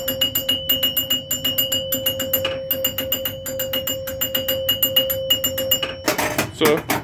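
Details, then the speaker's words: Restored Joker Poker pinball, glass off so chimes are loud: crisp bell strikes in a quick, steady run, about one and a half per second, stopping cleanly during max bonus count; chimes working properly. "got a max bonus that's what that sounds like"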